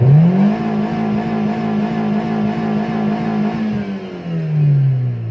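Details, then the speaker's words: Timor DOHC engine, free rev from idle to high rpm: smooth climb with an even exhaust beat, no hesitation midway or at the top, clean return; healthy free rev. "dites juga akselerasi dari awal sampai ke akhirnya dalam kondisi normal tanpa ada sendatan di tengah-tengah ataupun di akhir seperti ini"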